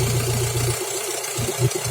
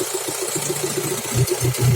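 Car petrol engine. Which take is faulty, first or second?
first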